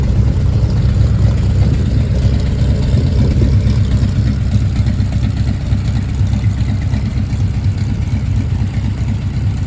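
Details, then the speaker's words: 1940 Ford Tudor idling just after new tailpipes from an eBay kit were fitted (hangers and clamps not yet on): deep, steady low rumble with even beat, no hiss or rattle; quieter than before, fumes no longer entering the cabin. Normal idle exhaust. "let's try it thank you this is quieter I can tell"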